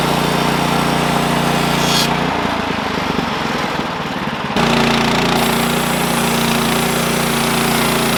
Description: while milling I noticed my blade was stopping during the cut. The end result was the clutch was worn out and so was the drive belt.